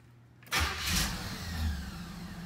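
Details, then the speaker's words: 1986 Cutlass 305, after fitting a new flywheel and the proper starter: a brief crank catches almost at once and settles into a smooth, steady idle with no starter grind. Normal start. "i guess all is good and i guess we'll see transmission doesn't end all right we're good well i guess that concludes it i mean it sounds healthy to me"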